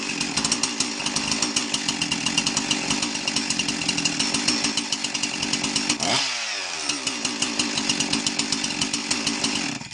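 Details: Husqvarna 346XP chainsaw after cylinder base gasket replacement, carburetor high and low settings unchanged, idle speed had been turned up: crisp, even two-stroke buzz that holds steady, drops back briefly and picks up cleanly; runs normally.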